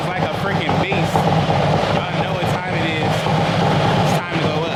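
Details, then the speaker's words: Cammed Harley-Davidson Street Glide from Copart, first start after connecting BCM and ECM: deep, loud, lumpy V-twin idle with choppy cam beat, no knocks; started right up, no check engine light. "Right up. No check engine light. No, none of that."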